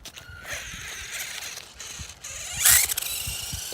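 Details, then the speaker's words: 3D-printed RC car running on the high setting: a whirring drivetrain with a harsh rattling grind bursting in when torque is too high, as the torque-limiting spring in the gears slips. "It has a RPM limiter in the gears, so like if there's too much torque, it'll make that grinding sound. It's just hopping off the spring in there."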